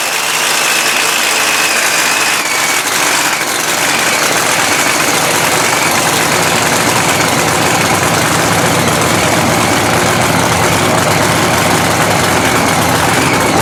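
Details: Blown 3,500 HP Hemi in a drag-race Ram truck, hot, restarted after an all-night rebuild following a 3-second pass: loud, harsh, choppy race-cam idle holding steady with no knocks or rattles; the engine sounds healthy.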